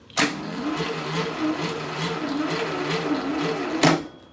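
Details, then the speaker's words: Freshly rebuilt VW Type 1 1776cc flat-four on a bench stand, battery low and jumper connected: steady starter cranking at about two to three beats a second that never fires; there is no spark. "all right we've been at this for some time and we can't get it to get some spark"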